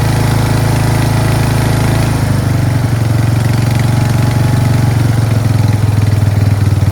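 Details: Craftsman 13.5HP 30-inch rear-engine riding mower, single-cylinder thump steady and even with no surging, popping or stumbling after a collapsed fuel line that starved it of fuel was fixed; running properly.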